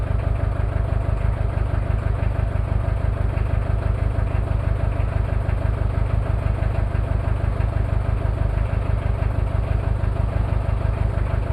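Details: Toyota 2L-T diesel cold start after piston ring replacement without top overhaul; cold idle with an uneven thump about twice a second under the clatter, one bad injector, possible cylinder head issues; rough idle from faulty injector.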